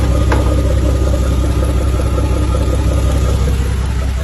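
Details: Diesel lorry just jump-started with a portable jump starter: steady low diesel rumble with an even beat and no knocks or misses; idles smoothly.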